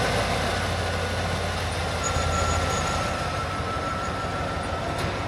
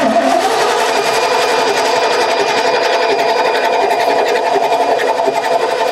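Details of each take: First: 1989 Ford F150 pickup, 61,000 original miles, sat over 20 years, first start with fuel plumbed to a small gas can: engine runs steadily with an even low drone, no misses or knocks, faint whistle on top; barely smoking, sounds healthy. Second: 1989 Ford F150, 61,000 miles, sat over 20 years: starter solenoid bridged after bad solenoid found; quick even starter whirring turns engine over without catching. Cranks but won't start; owner suspects old fuel.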